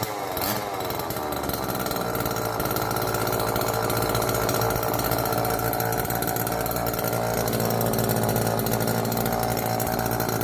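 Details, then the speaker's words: Old neglected Homelite chainsaw, previously seized and left outdoors, first run on fresh race-fuel mix without bar and chain: steady fast two-stroke buzz with no misses or surging; running healthy. "I guess next thing to do is get a bar on it a chain and see what it does actually sounds really healthy good news"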